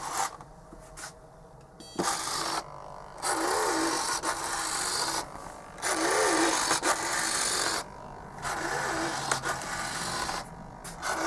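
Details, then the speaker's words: Super Nova RC model plane with a 1970s 27 MHz radio, servo being tested: repeated even whirring bursts driving back and forth, no grinding or stalling, servo operating normally. "seems to be operating quite happily"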